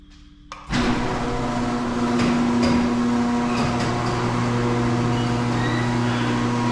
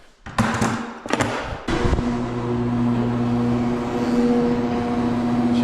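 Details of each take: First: Owner's garage door, opener opening it before any service: steady motor hum with sharp squeaks and ticks as the door travels; dry rollers and hinges needing lubrication. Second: Cheap garage door opener after service, lubricated rollers and tightened chain, door going down: a few thumps at start, then steady even motor hum, no rattle, vibration or chain slap; only the motor is loud, normal run.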